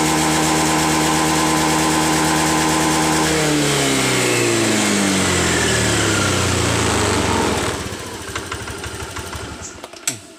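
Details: Honda BeAT FI scooter after wedging the TPS with a hose to cure stumbling and power loss at full throttle; holds a steady even rev then winds down smoothly with no stumble or misfire.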